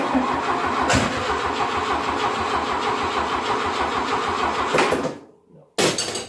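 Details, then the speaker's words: 1972 VW Beetle 1200 engine, idle about 20 years, with a 30 PICT-3 carburetor: it catches and runs ragged and uneven for a few seconds, then dies with one blip. Owner suspects a gummed, clogged carburetor. "okay so it runs it will run our brother is acting the i suppose that's what 20 years idle do"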